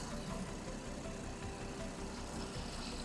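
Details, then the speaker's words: 2005-2014 Ford Mustang V6 at operating temperature after an aluminum thermostat housing upgrade and coolant bleed: steady, even idle with smooth low rumble and no misses or knocks; no leaks. "all right guys and that's it as you guys saw there are no leaks everything's running great"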